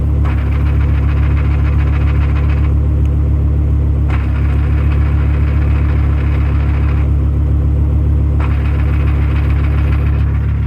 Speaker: This is a good example of the single mass flywheel clutch chatter. When the clutch is in, it's silent. When you release the clutch, you can hear the chatter.